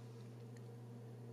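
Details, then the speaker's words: The 80 mm Arctic F8 case fan in an HP ProLiant ML350 Gen6 TrueNAS NAS build, on a fan controller that is then set from minimum to maximum; a steady low hum with an even airy rush and no ticking or rattle. The fan is running normally. "so you can probably hear that this is the 80 millimeter fan"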